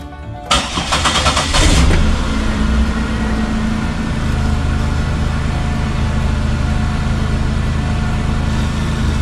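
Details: 2000 Chevy Impala, 103,000 miles, just after fuel pump replacement with new ACDelco pump: brief crank, quick catch and rev, then steady even quiet idle with no misses; fuel pressure correct; normal start and idle.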